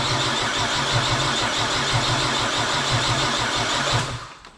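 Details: Nissan Skyline with a rebuilt engine just installed after engine failure: the starter churns at about three turns a second for four seconds, nearly catching but never firing. No start.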